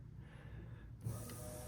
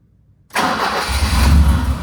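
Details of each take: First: 1985 BMW E30 318i with the fuel pump jumped: a faint steady electric whir of the fuel pump running. The engine runs but with no throttle response, loud from a blown muffler, and won't run without the pump jumped. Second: 1985 BMW E30 318i manual that only starts when the fuel is primed: the starter turns and the engine catches for a couple of seconds, then fades out, running on residual line pressure. Insufficient fuel pressure.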